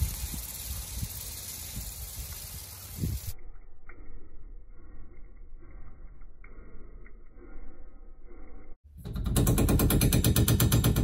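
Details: Home sprinkler zone valve opening makes garage water supply shake violently: rapid heavy pipe knocking, about three bangs a second, heard through the house; water hammer traced to the water heater expansion tank pushing water backwards as street pressure drops.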